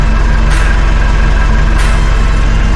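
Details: Mitsubishi L400 Delica on a lift, wheels off ground, idling in gear; heavy low rumble and steady throb as driveshaft jumps up and down. Cause of 70–80 km/h vibration: driveshaft imbalance; shaft to be removed.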